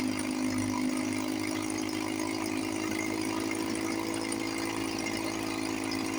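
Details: 1954 Johnson 5.5HP outboard, barn find revived after about 60 years with cylinder head work, cover on, fuel bulb hand-pumped, water pump pumping nice. Smooth, even, steady drone, no misses or knocks: normal running.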